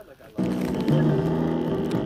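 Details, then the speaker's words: Buzzy, rattling bass from the original passenger-side lower door speaker of a 2005–2013 C6 Corvette, the sound of a worn, blown speaker, before it is replaced with a new one. "right so if you could hear that bass kind of rattling pretty bad that's because it's online"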